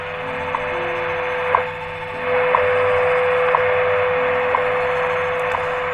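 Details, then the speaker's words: 1934 Westinghouse WR-24 radio under restoration, tuned to the 10 MHz shortwave time station after a mistake was corrected. Clean, strong steady tone with a sharp tick each second; much more gain now. Shortwave pickup is still not great but audible. "I get a lot more gained now on the shortwave still doesn't pick up that great but what I'm getting I can at least hear it"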